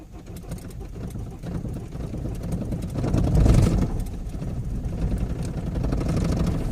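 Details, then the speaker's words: Opel Zafira 2.0 DTI diesel on a cold start after sitting all day. It labours and sags, won't hold idle, and the revs flare as the throttle is pressed to keep it running. "Voilà, tu vois, donc là, premier fail parce que elle est froide. Elle tient pas vraiment le ralenti."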